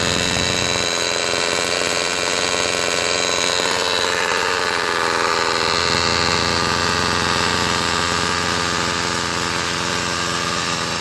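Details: Homelite SX135 Bandit UT-20601 two-stroke trimmer after new fuel lines and a replacement carburettor from another trimmer; primer valve suspected leaking: steady, high, buzzy drone holding even speed throughout; running fine.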